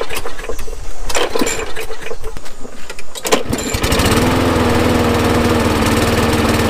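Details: Neglected Craftsman 21" push mower with Briggs & Stratton 6.75 engine, run after carburetor cleaning with the air filter off: pull-start clatter, then a busy, uneven, wavering run; owner suspects it is still clearing out after sitting wet in the weather.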